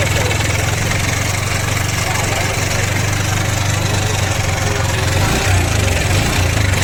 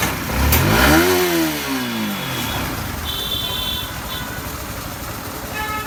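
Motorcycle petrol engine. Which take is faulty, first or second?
first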